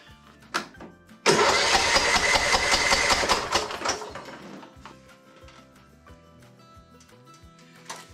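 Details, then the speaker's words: Husqvarna YTH21K42 lawn tractor engine that hydrolocked when the carburetor float failed to close and fuel flooded the cylinder and oil sump; cranked with spark plug removed to check for fuel: brisk even cranking without binding, cylinder clear and dry, turns over freely. "I'm just going to crank it over now and just see if any gas splashes out there you keep an eye on that for me"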